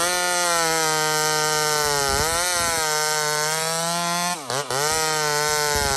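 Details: Small Homelite chainsaw, described as 28 full house on a stock chain, cutting wood: a high, steady buzzing whine sags briefly as the chain bites, then recovers. Normal cutting; cuts cleanly and runs healthy.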